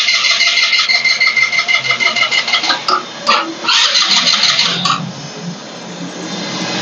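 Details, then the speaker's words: GPX Drone scooter that would not start: starter cranks in a quick, even rhythm about three pulses a second but the engine never catches. "สตาร์ทไม่ติดนะครับไฟหัวเทียนไม่มาไฟไม่มาคอยไฟไม่มาปั๊มติ๊กน้ำมันไม่ออกหัวฉีดอ่าเดี๋ยวเรามาดูครับหลังจากการแก้นะครับ"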